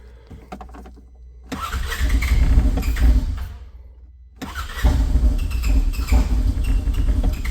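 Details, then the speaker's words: Polaris Ranger 900, first start of a new engine replacing the 25k-mile original, primary clutch off to listen for abnormal noises: fires and settles into a steady low idle around 1300 rpm, slightly uneven while cold, no knocks. "all right it's running and idle on its own here so I've got the primary clutch off the main point of that is just to hear if there's any abnormal engine noises or anything"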